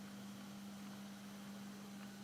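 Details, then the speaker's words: Ilet 102-1 tape recorder power amplifier, heard through test speakers. After replacing the 815/817 output transistors, one channel has a steady fine snow-like hiss over a low hum that does not change with volume or balance. "начинает в кавычках сыпать снегом. От громкости не зависит. От громкости не зависит. От баланса тоже не зависит."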